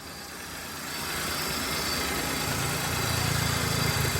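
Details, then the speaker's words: 2012 Hyundai EON 0.8 engine idling slightly high and rough with a low uneven throb and felt vibration, check engine light on; scan shows idle air control system circuit low (P0508). "S, வண்டியில் அந்த vibration feel நல்லாவே தெரியுது."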